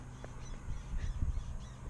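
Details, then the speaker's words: 2016 Toyota Tacoma at 30,000 miles: short creaky squeaks over low rumble as the rear is pushed down slightly by hand, rear shocks squeaking; dealer aware of the problem, no fix yet. "so I'm gonna just push on the back of the truck and you're gonna hear the squeak of the shocks that's just with me pushing on slightly"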